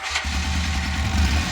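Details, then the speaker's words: 2011 Polaris RZR 800 twin, rebuilt after engine issues, on its first heat cycle with coolant being burped: it catches and settles into a steady, even low idle with no knocks or ticks. "Running good though. Sounds good."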